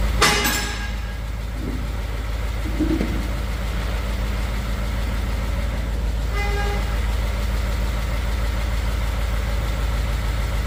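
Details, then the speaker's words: 2015 Ford F150 Coyote V8, fresh VR1 20W50 oil, mic on toolbox; smooth cold idle with light quick ticking from exhaust side, not engine, usual Coyote tick, stops after warm-up. Cold exhaust manifold tick. "You don't hear a coyote tick from the engine, but you hear it by the exhaust. After it warms up some, it stops."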